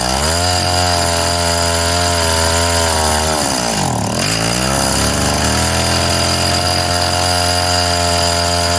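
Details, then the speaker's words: Craftsman mini tiller 536.797500 two-stroke after cleaning, fuel line and carb work: high steady buzz, briefly sags and recovers, then settles smoothly after idle tuning; runs well. "yeah oh it runs tuning time and tuned"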